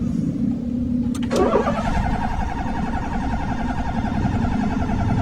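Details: 2019 Honda City, crank no start, no fault codes: starter churns the engine steadily for several seconds and it never fires; scanner shows engine speed fluctuating so the crank sensor works, but the fuel pump gets no supply.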